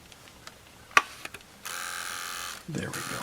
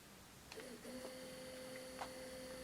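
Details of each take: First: Sony Walkman WM-4 (1983) on 6 V bench supply: after a click a small motor whirs at a steady pitch but take-up reel and capstan don't turn, also in reverse and fast forward; broken drive belts. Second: 1983 Sony Walkman WM-4 cassette player after repair, cleaning and lubrication, in play mode: quiet even whir with thin steady tone and soft clicks as play engages; tape transport running normally.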